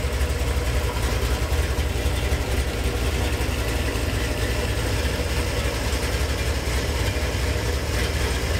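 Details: Gen VI L29 454 big-block V8 on an engine stand, factory ZZ502 hydraulic roller cam on 110 LSA: deep loping idle with steady uneven chop and light blips; healthy engine with lumpy cam.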